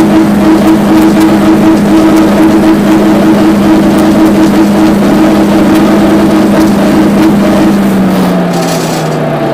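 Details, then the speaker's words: Giemme EF115 flail mower gearbox after assembly and repair: steady hum around two hundred cycles, pitch sagging as it slows; noise is normal, just drops falling back. "Alors, le bruit c'est normal, hein, c'est les gouttes qui retombent."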